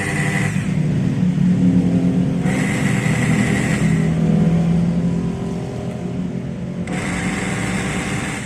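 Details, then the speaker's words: Makita HR2230 rotary hammer, rarely used and looks nearly new, weak with no power when drilling: motor runs with a deep, rough growl and slow, labouring rotation; cause suspected, not confirmed. "Nah suaranya seperti itu ngorok dan putarannya lambat"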